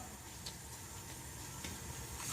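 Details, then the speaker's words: Toro 724 snowblower engine at top dead centre on compression during leakdown test (17% after exhaust valve repair): faint steady airy hiss, engine off; air still leaking past the rings into the crankcase, exhaust valve now sealing. "Still have some crankcase leakage. Hopefully you guys can hear that."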